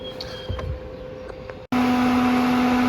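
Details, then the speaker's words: Peugeot 207 with P1337/P1338/P1339 codes, in limp mode after overheating: auxiliary radiator fan cuts in loud and steady at full speed, constant hum; keeps running about 10 minutes even with the engine off. "Right, so as you can hear, this auxiliary fan for your radiator is just going full bore. Now that'll just keep running for about 10 minutes even when the engine's off."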